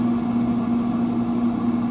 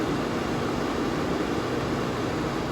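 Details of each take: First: Free Pit Boss FB700 pellet grill with no heat, left out in the elements: steady electrical hum with no turning as auger motor is powered but stalled; owner suspects auger jammed by swollen pellets. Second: Pit Boss FB700 pellet grill found on the curb with no heat, suspected swollen pellets jamming the auger; plugged in on lowest setting before reassembly, fan turning with an even smooth whoosh and low motor hum, no knocking or grinding; fan and auger operating normally.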